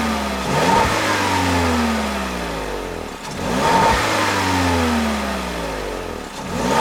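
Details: 2021 Peugeot 3008 1.6 THP Allure, 1.6 L EP6CDT turbo petrol (165 hp), 6-speed automatic: engine sweeps smoothly up from idle and back down twice, clean and even, no knocks or rattles; healthy normal free revving.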